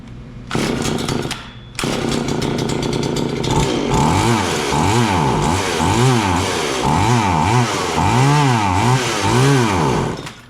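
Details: John Deere CS40LE two-stroke chainsaw after an oiler install, with an unsuccessful carburetor fix: it hunts up and down roughly three times a second instead of holding steady revs. Engine surging; a fuel problem is likely.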